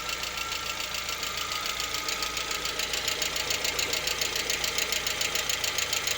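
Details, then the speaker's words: Lada Vesta, 64,000 km, engine partly warm around 50 °C: sharp, even metallic tapping two to three times a second over quiet idle; knock absent cold and at operating temperature, origin unclear. "Что случилось, вот непонятно. По мере прогрева проходит. То есть не совсем прогрелся, градусов 50 где-то."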